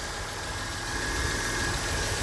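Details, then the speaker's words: 1998 Chrysler Cirrus LXi 2.5 V6 after new ECM fixed a no-start, with new distributor, crankshaft position sensor and Delphi fuel pump: steady, even idle with smooth low rumble, no knocks, misses or ticks; normal idle. "This little car always did just sound like brand new."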